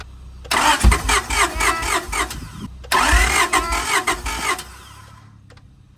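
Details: Honda Prelude H22 off the road 16 years, cranked during spark test; cylinder 3 compression about 225, possibly trying to fire on one cylinder: two bursts of rhythmic cranking with steady compression pulses, never catches; cranks, won't start.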